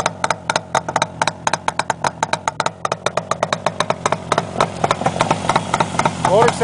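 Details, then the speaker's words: 1967 Yamaha YR1 350 Grand Prix, 350cc two-cylinder two-stroke, all original, started cold at about 25 degrees on choke with baffles removed: crisp open-pipe popping at about four beats a second, no excessive piston slap; healthy cold idle. "nice no excessive piston slap that's working that's my experience with these videos and motor always sounds noisier than it does but this sounds pretty dang nice for a two-stroke"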